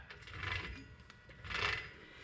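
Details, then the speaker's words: ED Falcon rear axle turned by hand: two gritty, grinding swells, one per rotation. The owner thought it was the bearings; a diff shop found the diff slightly worn but the gear mesh good. Worn wheel bearing. "that noise that you can hear, I thought that was the bearings."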